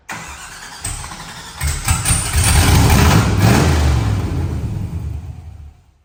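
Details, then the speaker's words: V8 in an OBS truck at first fire-up on open headers, no exhaust fitted, leak somewhere between engine and transmission: loud, lumpy, unsteady beat running like junk; rough running, cause unconfirmed. "it's still running like junk because it's still open headers but that's why we're putting it on the lift to fix that"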